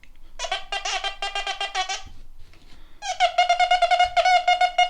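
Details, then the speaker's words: Quest Q35 multi-frequency metal detector in 4-tone field mode, low sensitivity: big penny target gives a clear warbling high tone pulsing about three times a second, modulated and not cutting off bluntly; normal good-target response. "Let's do a 4-tone in field. So we've got the big penny, and it has got modulation on it. It just doesn't stop bluntly."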